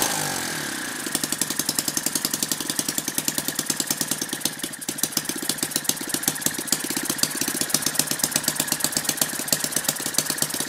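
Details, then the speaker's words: Lynx 15 model engine, homebuilt, running on two-stroke mixture after fixing a fallen-off tank pickup tube that let the carburettor suck air, compression now much higher: starts easily, crisp even popping beat with no misses; running normally. "well I'm pretty happy with that so it seems to be starting pretty easily now compression's much higher now"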